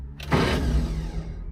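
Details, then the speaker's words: IH Scout 800 with 196 engine locked up, cylinder 1 suspected: after cleaning connections, a sharp clunk then a short strained starter hum with no cranking rhythm; starter has power but engine remains seized. "That's the starter. So there is power coming to this thing. Um the engine is still locked up but that is a good sign."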